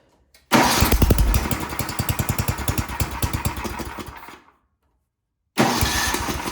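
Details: Ariens snowblower sat years in barn, with cracked fuel line temporarily reused: small single-cylinder engine catches straight away, even steady putter, cuts out, restarts cleanly; runs like a champ, normal.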